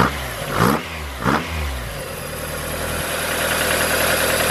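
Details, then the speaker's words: Mazda Miata with a Toyota 4A-GE 20-valve individual throttle body kit, idling: uneven, loping idle with lumpy pulses and a couple of blips settling into an unsteady note; rough idle from unsynchronized throttle bodies, hurting performance, before balancing. "so when you're starting your engine it might be completely out of whack so friends if this one closed that one open might be looking like that it's definitely gonna hurt performance"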